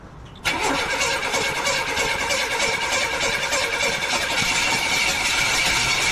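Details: 1982 Buick Regal unstarted for more than 25 years, being cranked while the timing is adjusted, the pedal pumped for fuel and the electric choke opened: the starter spins steadily for several seconds but the engine never fires, because the ignition timing is incorrect.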